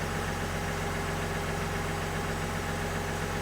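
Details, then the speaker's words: 2020 Chevrolet Silverado 1500 3.0L Duramax diesel, 20,492 miles, idling right after fuel filter replacement to purge air: even idle with usual light, regular clatter, no stumble or hunting; normal idle. "idle for a little while just to make sure that there are no bubbles in the fuel system"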